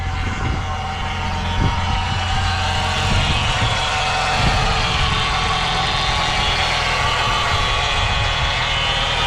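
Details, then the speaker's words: Chevy Cavalier idling after ground wire tightened during no-start diagnosis: thin, steady whine over the engine, not present before, fades somewhat after a while; cause not pinned down. "see that noise that whining noise was not doing that before"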